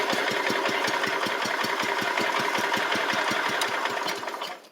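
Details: Restored 1985 Wheel Horse 312-8 garden tractor, after a multi-month revival: even rapid idle putter about 220 beats a minute with no stumbles, then shutdown, on a cheap aftermarket carburetor that works well; normal idle.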